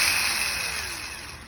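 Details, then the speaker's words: Starter from a 2004 Chevrolet Tahoe 2WD 5.7 with a no-crank, no-start fault, bench-tested with jumper cables off the truck: a smooth whine spins up and winds down freely with no clack because the pinion never throws out; bad starter. "but here you go it's going but it's not popping out"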